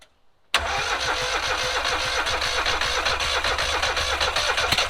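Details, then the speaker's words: Rusty John Deere auction mower with seized choke and a bit of gas poured in: cranks, catches and sputters unevenly at two to three beats a second, won't settle to idle; owner suspects the carburetor needs cleaning; hard start, rough running. "a little bit of life all right looks like it started to pump some fuel in there the uh you can see a little fuel on the filter we'll give it one more go and see if it will idle i might have to clean that carb though"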